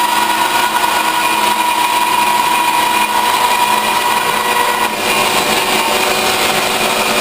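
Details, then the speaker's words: Old Grazioli lathe, spindle in forward gear via clutch: steady whine near 1 kHz over a busy mechanical rush; the oil pump, which also leaks oil at its pulley shaft, is noisy enough to drown out the spindle. "but I hear a lot of the oil pump yet so I have to listen to the oil pump all the"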